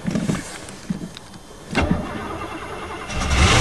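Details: Chevy with carbureted four-barrel 305, sat about 7-8 months, frozen winter day: bursts of cranking with a labouring whirr, engine never catches; crank, no start, owner feared stolen gas but a little fuel remained.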